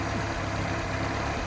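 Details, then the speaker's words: Barn-find 1980 Suzuki LJ80 at its first start in 15 years, ignition running off a battery pack in boosted mode with no alternator. Short, steady low idle rumble with no knocks, stumbles or smoke; the engine sounds healthy. "so yes your own is fantastic no nasty noises out of the engine no nasty smoke out of the exhaust"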